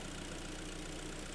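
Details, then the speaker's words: Korean G4KD engine just overhauled, first start on fresh oil with antifreeze topped up, still cold and bedding in, expected to quieten as it warms: smooth, even idle hum, no whistles, squeals or knocks; normal idle. "Все сейчас никаких свистов писков мотор протирается будет все работать тише и тише нагреется будет вообще очень хорошо работать"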